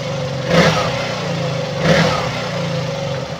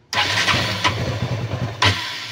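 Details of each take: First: KTM Duke 200 single at steady idle after replacing a leaking fuel pump hose; two quick throttle blips, then even idle that holds without stalling or hunting, where before it died within 3–5 seconds and lost power when ridden. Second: KTM Duke 200 that stalls at idle and cuts power when running: engine cranks, catches briefly with an uneven, stumbling beat, then dies; leaking fuel pump hose, fixed by replacing the hose.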